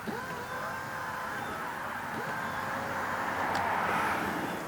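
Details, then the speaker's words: 2003-2007 Honda Accord wiper motor just installed with new linkage, run before fitting the wiper arms to check function and home position: an even, steady whirring hum with a regular sweep, no knocks or grinding; normal. "Now that it's installed and plugged in, you can turn it on to make sure that it works and to make sure that it's in the home position before you install the wiper arms."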